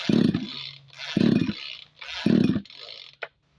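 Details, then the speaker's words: Tanika 20-litre engine sprayer tank, hard to start: three recoil pulls, each just a whirring crank with no firing. Spark tested strong and plug checked, but the spark plug cap had been left off; crankshaft seal suspected, not confirmed. "Masih belum menyala, kan? Mari kita bongkar mesinnya. Sampai sekarang, perangkat itu masih tidak mau menyala."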